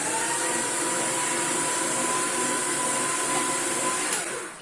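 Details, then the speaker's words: Paper shredder jammed with packed, dusty paper bound on the ends of the rollers: a harsh, labouring motor roar for about four seconds that then winds down. Running it in reverse frees the mechanism. "Then you'll hear it running rough, and reverse it."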